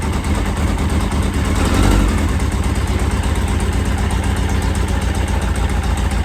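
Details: 1983 Yamaha XJ900 Seca four-cylinder in restoration, after carb balancing: a rapid, steady exhaust beat that never drops, idle too high, likely because it was cranked up while running on only three cylinders.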